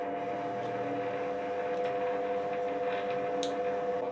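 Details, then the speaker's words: New HBM metal lathe with 25 mm spindle bore, belt-and-gear drive, spindle running: quiet, steady motor hum with a clean even tone and no knocks or grinding, quiet enough to work without ear protection; normal running. "Although, I have to tell you that the late is wonderful because it hardly makes any noise at all. So, you can work without ear protection perfectly fine."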